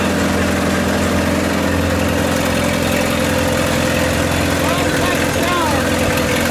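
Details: 1928 Farmall Regular tractor idling after carburetor tweaks, just started with timing advanced about halfway: steady low, even idle with smooth regular beat, no knocks or misses; healthy normal idle.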